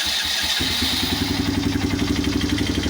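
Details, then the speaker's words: Polaris Phoenix 200cc single-cylinder quad after reassembling the wrongly fitted clutch primary, driving in reverse and forward: quick steady even putter about four firings a second, no knocks; normal running. "got a runner. We're in reverse. We're backing up. We're forward."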